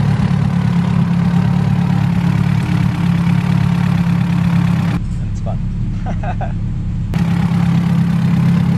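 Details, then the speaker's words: Blue hatchback on the dyno after a distributor install: timing is advanced to match the ECU and locked down. Deep, steady idle with an even beat and no misses or pops. The engine settles into a clean, normal idle with timing correct. "he turns it he advances it to match the ECU we lock it down everything matches"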